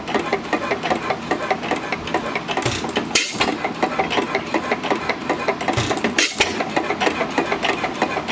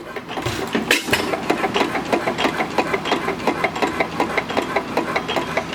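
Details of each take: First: Small engine on a homemade buzz coil, at the slowest speed it has held: light regular ticking several times a second, steady with no misses; normal slow running. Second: Stationary single engine, run with retarded spark: slow thump with a sharp metallic knock on every beat, about three a second; knock developed since purchase despite greasing, source unknown.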